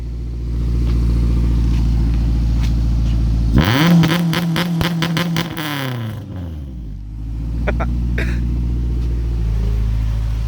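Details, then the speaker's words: Honda Civic with GSR engine swap (aftermarket rods, pistons, springs, retainers, cams), running again after a no-spark problem blamed on the alarm: steady idle, a clean rev blip that falls back, then an even idle; sounds healthy. "sounds pretty good let's talk sounds really good"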